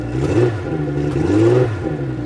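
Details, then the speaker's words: 2003 Yamaha 225 four-stroke outboard with low compression on two cylinders, first start after fuel system flush: revs rise and fall on two throttle blips with faint pop and stumble; small backfire and miss on throttle. "Got a little backfire. But I don't have anything hooked up here either."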